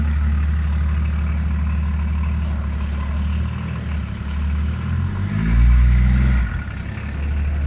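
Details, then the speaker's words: Range Rover P38 after gearbox filter, gasket, O-rings and oil change for no-power fault: low steady drone then strong deep surge reversing up a curb, far more power, gearbox driving properly. "well i will tell you that straight off the bat that's got way more power just off the reverse"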